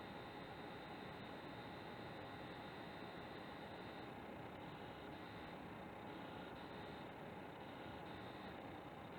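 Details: PS4 Pro running Rise of the Tomb Raider with different Pro options, same noise in other Pro-patched games: steady dense buzzing, rattling hiss under load with a faint high tone on top; owner suspects coil whine.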